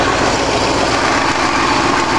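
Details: A freshly rebuilt 1965 Ford 352 V8 in a wagon idles evenly and steadily with a smooth low rumble and no knocks, ticks or misses; a healthy idle after the rebuild.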